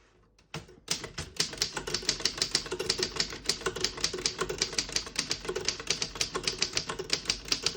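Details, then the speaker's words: 1934 Underwood No.6 desktop manual typewriter, line spacing set to single, typing with a black and red ribbon: crisp, even key strikes at about five per second with no skipped or sticking keys; all keys type normally. "As you can see, all the keys type nice and none of them skip or stick."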